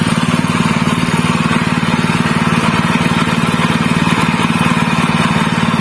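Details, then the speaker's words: General CX160 5.5 HP engine, fairly new, that had black spark plug and died quickly, after fitting a new spark plug: steady even single-cylinder thrum, no misses, stumbles or surges; running normally again, even at higher throttle. "दोस्तों, यह परिणाम है, अल्हम्दुलिल्लाह, यह बड़ी गैस पर बहुत अधिक प्रयास नहीं है, यह फिर से सामान्य है, मेरे दोस्तों"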